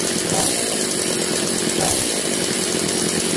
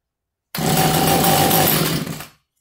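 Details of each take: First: Echo CS330T top-handle chainsaw, just revived, no bar or chain fitted: small two-stroke revs up in repeated bursts about every 1.5 s, centrifugal clutch grabbing the drum cleanly; healthy revving. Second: Echo CS330T top-handle two-stroke chainsaw with new carburetor, strong compression, cranked from flooded with throttle held open: sudden bark running rough under two seconds then dying; fires only on primed fuel, fuel delivery fault, carb and pulse line to check.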